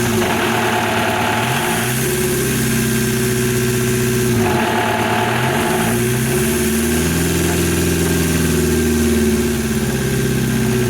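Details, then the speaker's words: VW MK1 Rabbit TDI with a replaced engine, at idle after the injectors were primed and bled: an intermittent harsh metallic rattle, loudest at one spot, that goes away off idle. The owner says it sounds like valves touching pistons. Cause not found. "It was doing it at idle and I take it off idle and I go away and it was loudest from like right here. It sounds like the valves are touching the pistons or something and then it goes away."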